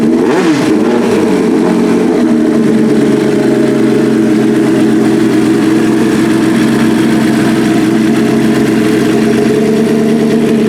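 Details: 1989 GS-based Suzuki pro street drag bike engine "Big Jake" on ERC 110 fuel, first start-up while strobing timing on cylinders one and four (Dyna ignition): quick rev blip settling into a crisp, even, steady idle with no misses or knocks; timing checks perfect.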